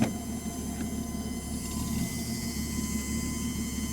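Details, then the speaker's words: 1967 Mustang with Holley Sniper 1100 EFI, parked after a long drive: a faint steady whine over a low rumble from the rear, blamed on the fuel pump. Worse after long drives, not related to fuel level, and venting the fuel cap doesn't help. "Oh yeah, definitely hear that noise."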